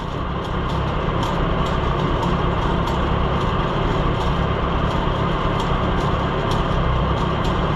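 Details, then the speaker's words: Oliver Super 66 tractor driving a cheap auction-bought pull-type bush hog mower through the PTO at first start-up: steady, even drone with mower spinning smoothly, no knocks, squeals or grinding; runs quiet and healthy. "I thought maybe I didn't want to stand right there, but oh, it runs quiet."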